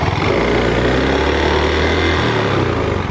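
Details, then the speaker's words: Honda Beat scooter with thick white exhaust smoke, throttle blipped. The engine drones roughly and unevenly with an odd rattly noise suspected from the CVT belt drive, thought to be a common Honda Beat issue; the cause is unconfirmed. "dan terdengar suara ini sobat Ya sepertinya ada suara-suara yang aneh sepertinya terdengar di bagian CVT ni"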